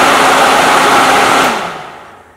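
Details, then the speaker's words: 120 V AC mains fan switched through a relay by a low-voltage capacitive touch switch circuit: a smooth, steady rush of air with no rattles or ticking, winding down evenly when switched off; the fan is healthy. "you could have a toggle switch doing the exact same thing capacitive touch switch any light-duty which to activate this very high voltage 120 volt mains voltage fan"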